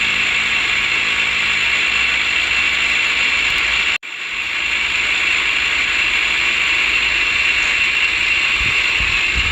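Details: 2012 Ford F-150 3.5L EcoBoost: loud constant high-pitched grinding rattle at idle from vacuum pump behind driver's side headlight, pump visibly shaking; bearing failure, pump replaced.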